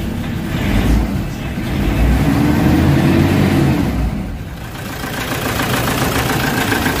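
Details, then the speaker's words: Toyota Fortuner surging around 2000 rpm with low power, then dying: engine runs unevenly, swelling and sagging, nearly stalling near four seconds; fault traced to crankshaft sensor wiring, possibly grounded/short-circuited, fuel pump circuit reading open. "Kita niyo yung andar guys? So umaandar siya namamatay."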